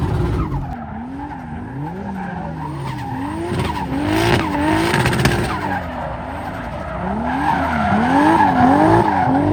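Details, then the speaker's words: BMW E36 with a 2JZ straight-six, drifting on the limiter with tyre squeal: revs stutter and pop unevenly, misfiring under load in first and second. The log shows erratic AFR; it was running rich, and the owner thinks it needs a retune. "As you can hear, it's still running pretty bad. I looked at the log and it looks like the AFR is jumping all over the place and stuff."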